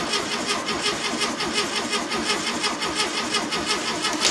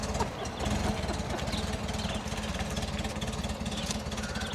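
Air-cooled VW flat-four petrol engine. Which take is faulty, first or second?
first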